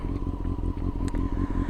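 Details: Used motorcycle warmed up on a cold 4–5 degree day, steaming at the rear: warm idle with an even beat and a faint steady hum, no clear knocking from the valve train, healthy.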